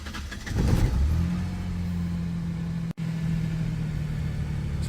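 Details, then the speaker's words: 2001-2003 Ford Ranger, start after fuel pressure now holds about 52 psi (previously dropping, hard starts, P0171/P0174): short crank, catches within a second and settles to steady even idle; normal quick start. "pretty good i'll report back see if she continues to start well and after all said and done the startup beautiful"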